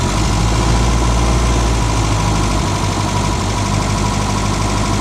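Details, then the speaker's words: Reliant Robin small petrol engine idling unevenly, stumbling and skipping: misfire because the battery is low and the alternator, reading only 12 V, isn't charging, starving the ignition. "Basically what's happening, even though you can hear it turning over, because the current is so low in the battery, it's taking it away from the ignition system. Now, as you can hear, it's misfiring because it's"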